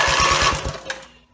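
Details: Rebuilt Briggs & Stratton mower (carb rebuilt and filling, timing dots aligned, valves seated, compression unknown) cranks with an even chug about eight times a second, then stops without catching; gas later leaked from the muffler bottom, and the owner suspects it isn't getting fuel.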